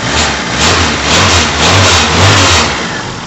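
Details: 1991 Fiat Uno 1.3, cold engine revved in short swells: rough whirring from the gearbox side rising and falling with revs; noise occurs only when cold and stops once warm, cause unknown, clutch somewhat worn.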